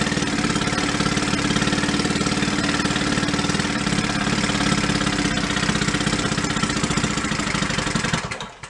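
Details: 1937 Sears Water Witch 2.5hp outboard, 83 years old, revived after about 60 years in a shed, main jet being dialed in: even popping near four per second at slow idle, no misses; healthy normal idle.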